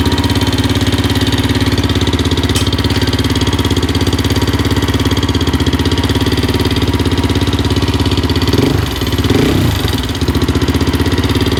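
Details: 2004/2005 Suzuki LTZ 400 single at idle after timing chain tightened; failed valve guide job by another shop: rapid metallic chatter over lumpy idle, loud up front on exhaust side.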